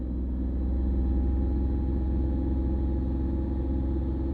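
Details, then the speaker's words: Tata Tiago petrol engine held near 2000 rpm, heard from the cabin: steady even low hum with faint constant tone, no knocks or rattles; normal engine cabin noise. "थोड़ा सा मैं RPM आपको बढ़ा के दिखाता हूँ 2000 के आसपास, और अब आप देखिए कितना ये गाड़ी नॉइस करती"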